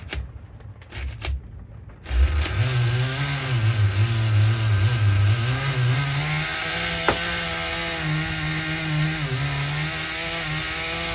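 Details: Nitro RC engine being retuned toward a steady idle: after a few clicks it catches and runs with a wavering, hunting pitch that won't hold steady, so it is running rough; low compression is suspected, possibly needing a repinch or replacement.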